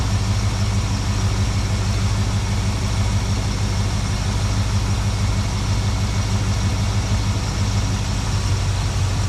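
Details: 1972 Plymouth Valiant 318 V8, Holley 600 four-barrel refitted after fixing a rich-running fault: deep, even idle with a steady unhurried rumble, no stumbles or misses, much better than before.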